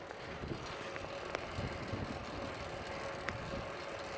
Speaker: can hear how quiet my drive train is [Applause] minus the vehicular traffic along my travels my drive train is whisper quiet